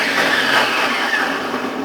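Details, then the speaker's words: Wap Super pressure washer that makes a strange noise on switch-on: harsh whirring rattle with a thin whistle, fading as it spins down. "Realmente faz um barulho estranho."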